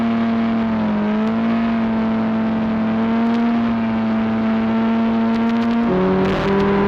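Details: Arctic Cat Cheetah 440 two-stroke snowmobile bought for about $50, previously running rough, now riding with the camera on the dash; even buzzing note holds steady, then dips in pitch as the throttle eases, clean and healthy. Normal running.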